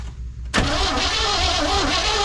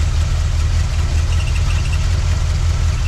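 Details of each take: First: 1979 Chevy C10 sat 5 years, fresh fuel added, key on with power at coil: starter spins steadily with hissy whirring churn but never fires; no spark, traced to damaged wires from the ignition or control module. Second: 1979 Chevy C10 V8 after sitting 5 years: steady low rumble ticking over evenly with no knocks or misses, faint high whistle in background; normal idle.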